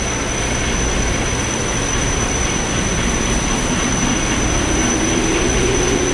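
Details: Haughton Type 601 DC gearless overhead traction elevator machine, 1987, 104 hp, Schindler modernized, 1200 FPM (6 m/s), 34 floors, recorded in machine room as car starts: steady low hum and fan hiss, tone climbing to speed; normal running.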